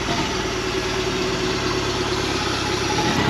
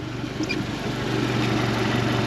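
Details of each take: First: 2017 Suzuki DF115 four-stroke outboard on flush hose, way overdue for service, stalling: uneven lumpy idle with irregular stumble; carbon-fouled plug, running rich for unknown reason (maybe injector), misfiring. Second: 2017 Suzuki DF115 four-stroke outboard after full service (plugs, oil, water pump, gear oil, anodes, fuel filters) on water hose: steady even low idle in neutral, no misses or knocks; shifts properly, gear case good.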